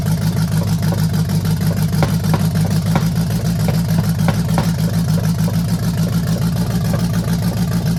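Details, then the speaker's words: 1968 Chevelle with swapped used small-block Chevy V8 and cheap headers, first start, idling and charging: sharp rhythmic pop about three a second at the exhaust; one exhaust valve not sealing, cylinder firing out the exhaust; fuel leak also noted. "What it is is that rhythmic popping over here means that one of the exhaust valves is not sealing. And when that cylinder is firing, it's firing it out the exhaus"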